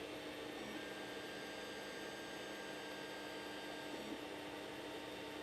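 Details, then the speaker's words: 3D printer X and Y stepper motors running at about 40 dB: soft, even motor whir with faint steady tones and no harsh resonance; smooth, quiet stepper operation. "so as you can see as we bounce up in decibels we're only going at about 40 on the X&Y"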